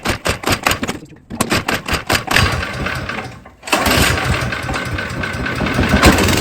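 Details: Snow blower small engine that sat all spring and summer on ethanol gas and wouldn't start; gas already changed, carburetor cleaned. A few sharp cranking pulls, a pause, then it fires and settles into a steady, even run with no sputtering; normal running after carb cleaning.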